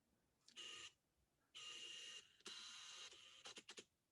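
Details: Hasselblad H lens on an X-mount body through the Hasselblad XH 0.8 converter (speed booster): bursts of high whirring drive back and forth, stop, then quick chatters as the lens motor hunts without locking focus, followed by an error.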